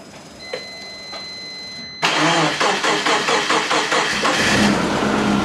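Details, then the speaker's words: Big-turbo Subaru Forester, starting for idle-control tuning before warm-up: loud, uneven, pulsing idle with irregular beats, hunting at very low rpm; lumpy hunting idle. "What I do like mechanically, it still hunts for very low RPM."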